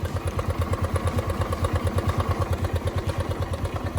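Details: Suzuki Access 125 scooter after replacing the long-unchanged worn movable drive, started with the side cover off: even, regular low throb at idle, about three pulses a second, with no rattle or scraping; the earlier running noise is gone.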